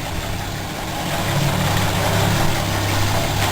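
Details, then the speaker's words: 1966 Ford Mustang V8 at idle: steady, even smooth low rumble with no knocks or misses, running strong; normal idle. "Here you can see that the engine's running pretty strong."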